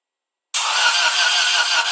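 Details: 1995 Subaru Impreza WRX no-start: even fast starter spin with no compression pulses and no firing because one or more valves were stuck open; later got running by towing in gear, crank no start, no compression.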